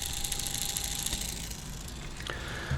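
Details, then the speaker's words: Panasonic RQ-SX35 Walkman mechanism, previously dead, after disassembly and regreasing: rough gritty grinding with small rattles under the mechanism whir, from a gear wheel inside; wow and flutter present, cause unknown, greasing didn't help. "So what you have just heard is the noise that this mechanism is doing. I don't know why."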